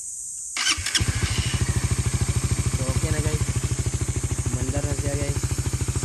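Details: Suzuki Raider 150 Fi fuel-injected motorcycle, reported not starting: engine catches after a brief crank and settles into a steady, even single-cylinder idle with no misses; starts and runs normally.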